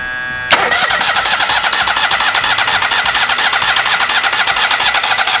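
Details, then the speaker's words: Kohler EFI engine with an aftermarket high-pressure fuel pump in the old case, gas force-fed to the canister: fast rhythmic cranking, about two turns a second, never fires; pump runs but is not supplying the injection. "Well, the pump's still good, but it didn't work in that old case, so I'm going to put everything back to the original aftermarket case,"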